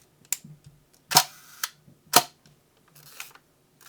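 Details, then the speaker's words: Vintage Hasselblad 50mm f/4 lens after replacing broken shutter blades: leaf shutter fired at 1/4 and 1/2 second, crisp open-close click pairs spaced accordingly, clean and consistent; no timer used, but shutter operation sounds normal. "but just testing here how the shutter speed sound we put it at a fourth and and a half I don't have a timer but sounds good to"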